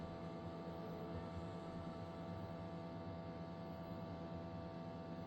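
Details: Tascam disc player playing the Ultra HD disc Blue Planet 2: steady, loud droning hum with buzzy low-mid tone and vibration while the disc spins.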